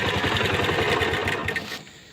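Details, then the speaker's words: 1999 Honda BIZ C100 motorcycle engine, about 25 years of use with little maintenance, before teardown: busy clattering idle with fast regular knock under rattly top-end chatter; worn crankshaft bearings, connecting rod and timing chain. "noises from the crankshaft bearings of the connecting rod distribution in short all the noises"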